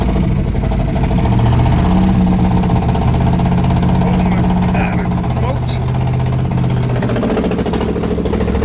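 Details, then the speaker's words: 1969 Chevrolet Caprice 427 V8, 4-speed, first start after sitting since 1988, fed from a gas can after points adjustment: idles unevenly with a lumpy, stumbling beat and wavering speed; runs rough. "whoa doesn't run very well but it runs"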